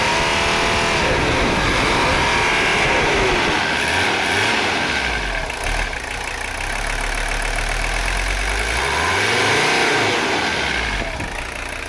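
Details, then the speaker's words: Mercedes 300CD diesel, not yet at operating temperature, after valve adjustment and with diesel purge run through the upper fuel system: steady clatter with smooth, responsive throttle rises and falls, no misses; running well. "That sounds real nice. I'm gonna let it go just a little bit more, and then we're gonna cut it."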